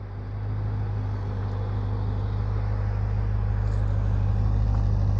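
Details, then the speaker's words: BMW E46 Compact with a swapped S65 V8, freshly back from the painter and before test drives: a deep, steady, even idle rumble with no misses or knocks, sounding duller and more muted than a comparison M3 V8 with an Eventuri airbox. "ja ich glaube man hört er z Klang her einiges dumpfer als der weiß im Leerlauf"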